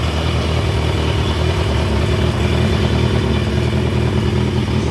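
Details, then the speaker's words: 1982 Yamaha Maxim 750 four-cylinder after ignition switch repair and replacement stator: fires right up and runs steadily with a smooth, even beat and strong low rumble, no knocks or misses; normal running. "So, that all works. Perfect. Fired right up. Great."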